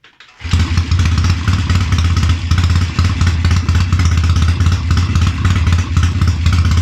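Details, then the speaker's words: Triumph Tiger 90 350 motorcycle with electronic ignition after rebuild, before strobe timing: loud, deep throb at fast idle with lumpy, wavering beat; uneven running from incorrect ignition timing. "anyway strobed uh it was a bit it was a bit all over the place to be honest but anyway had a bit of a mess about um redid top dead center"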